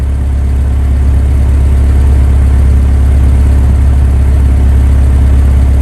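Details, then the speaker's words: Isuzu Piazza at idle, smoking from the tailpipe; the owner thinks the turbo needs looking at. A steady idle with an irregular soft exhaust puff every few seconds. The cause is unknown and still to be investigated. "so it's not regular but every now and then you get that little puff right there so i'm not sure what that's down to"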